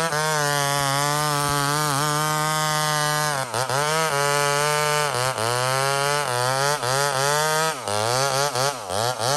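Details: Homelite chainsaw, 28 full-house stock chain: crisp high two-stroke scream sagging and recovering as the chain bites wood, pulling clean under load; normal healthy running and cutting.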